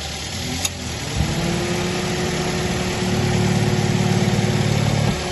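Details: New Avanza 1.3 after fan belt and tensioner pulley replacement, starter test: engine catches about a second in, then settles into steady, even idle with no belt squeal or chirp.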